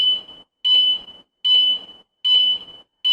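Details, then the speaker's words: Tuscany 150 motorcycle anti-theft alarm being set to sensitivity level 5: after pressing unlock, five evenly spaced high-pitched beeps, about one every 0.8 s, on a quiet background, counting through the levels up to level four. "กดปุ่มปลดล็อคครับนี่คือระดับหนึ่งระดับสองระดับสามระดับระดับ4"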